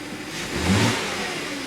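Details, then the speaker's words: 2010 Audi Q5 with about 135,000 miles, after troubleshooting a P0302 cylinder 2 misfire and clearing the codes; a short, clean rev blip rises and falls evenly with no stumble or popping, and fuel trims look good. "smooth still running nice and smooth fuel trims look good"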